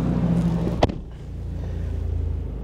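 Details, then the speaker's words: Porsche Macan S at an insurance auto auction: after a single click, a low, even rumble settles into a steady, smooth beat, and it sounds really good. Normal idle. "Sounds good. Actually sounds really good. This is nice."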